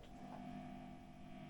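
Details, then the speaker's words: Burman 501 tube guitar amp in a head cabinet, idle and turned up loud with a little reverb on, gives a steady low hum with a faint whine. The reverb tank sits too close to the tubes. "You can hear that's just the, as I say, the reverb tank too close to the tubes."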